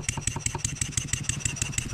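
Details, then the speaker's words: Stuart 7A model steam engine running on air after valve eccentric timing adjustment: smoother running, but simulated load on the output shaft brings a sharp metallic knock about six times a second; cause not yet found. "if I just put a little bit of upward pressure I can feel it on this face you hear it Knocking"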